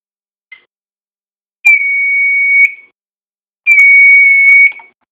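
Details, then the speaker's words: Fire-Lite MS-2 fire alarm control panel piezo after reset, with the muffling duct tape removed: clean, high-pitched steady beeps about a second long with short gaps. Sounder works normally. "So if we go and do another reset, it should sound different now. Yeah, that sounds normal now."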